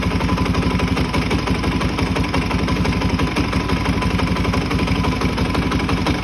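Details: Suzuki DRZ400E with 430cc big bore kit and Vertex piston, bought as is: rough idle with a hard, repeating knock about three times a second tied to engine rotation; internal knock, cause not yet found.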